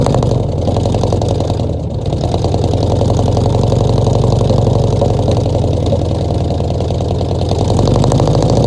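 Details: 1966 Ford F100 V8 first start in 17 years, bottle-fed fuel into carburetor, no coolant (freeze plugs out): lumpy uneven idle, beat dropping out every few pulses; almost idles, definite miss.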